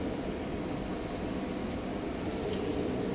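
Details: Truck, ignition on and engine off: a faint, steady high-pitched hum, the in-tank fuel pump priming normally with no leaks found.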